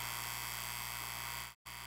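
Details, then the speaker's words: Comgrow air assist diaphragm pump for Z1 10W laser, on soft rubber feet, low setting, about a foot from the microphone then closer: even, steady electric buzz, no rattle or wavering, cuts off cleanly; quiet enough to talk over, normal running. "It's not really that loud. A normal speech, you could talk over it. I don't have to raise my voice to speak over it or anything like that."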